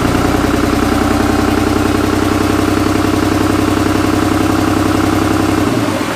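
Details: Cummins diesel in a Jeep YJ, first start-up: steady, even diesel clatter at idle with a firm low pulse, briefly choppy at first, likely from how it pulls intake air; normal idle.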